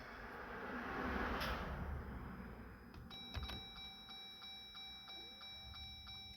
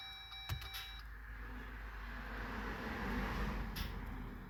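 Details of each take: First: 2021 Jeep Gladiator EcoDiesel after fuel filter change, priming by cycling the key without starting: faint fuel pump whir kicking on and off under a repeating door chime; normal priming. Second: 2021 Jeep Gladiator EcoDiesel after fuel filter change, key-cycle priming: warning chime, then rising lift pump whir with hissy, uneven rushing as trapped air works out through the return.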